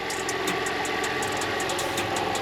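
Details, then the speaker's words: Audi A4 B5 2.4 V6 163 hp, 320,000 km, first run after timing belt work, listening to tensioners: steady idle with a light fast ticking rub over it; source unknown, coolant leak found afterwards. "Il y a un petit bruit de truc qui frotte quand même, je sais pas c'est quoi."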